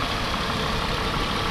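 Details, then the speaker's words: Steady, even idle from the 1992 Mercedes-Benz 300CE W124 coupe 3.0 at about 26 years old, with no knocks, ticks or misses; runs smooth and sounds healthy. "why don't we go ahead and start it up hearing just hear it run no that sounds pretty good"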